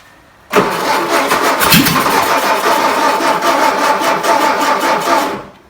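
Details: 1959 VW Beetle sitting about 45 years, manual, choke cable working, first start attempts: fast, even starter churning at about three beats a second for five seconds with no catch or firing; cranking without starting, a seized plunger found afterward.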